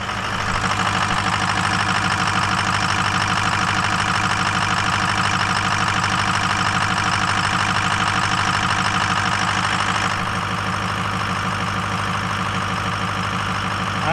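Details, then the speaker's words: Ford Powerstroke diesel just reassembled after about 10 hours of work, first start: slightly rough, uneven lumpy idle around two beats a second, expected while oil primes through the system and air purges from oil and fuel. "it running a little it sounds like it's a little rough but they said uh it will be a little rough cuz we got uh all the oil has to flow through the it's got to Prime the oil through the whole system get all the air out"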